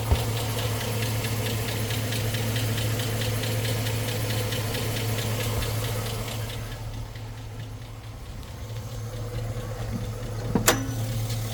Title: 2006 chevy silverado Tick (coming from exaust manifold leak, NOT LIFTER TICK) #silverado #lifters